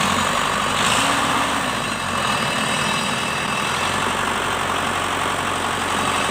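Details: Shibaura SD4000A-D after replacing the release bearing, clutch disc and pressure plate: a steady, even diesel idle with a smooth, unbroken rumble and no knocks, rattles or clutch chatter. It is running healthy.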